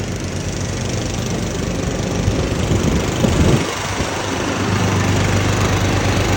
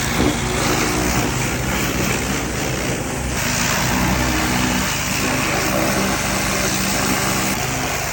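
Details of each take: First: Husqvarna YTH21K46 mower, Kohler Courage 21 hp engine, 337 hours, after the exhaust was welded and refitted (it was 104 dB before): a steady low putter with even rumble, no rasp or blowing leak; normal exhaust sound. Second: Husqvarna hydrostatic lawn mower, 337 hours, measured 104 dB: harsh, very loud raw unmuffled bark while running; exhaust leaking before the muffler, welded.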